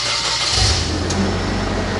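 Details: Engine after the injector is replaced and new spark plugs are fitted: the engine catches and settles straight into a smooth, even idle with no stumble or miss; normal idle.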